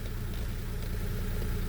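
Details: Daewoo Matiz three-cylinder petrol after engine repair, restarted during warm-up check: steady low idle with an even rumble, no knocks; running fine.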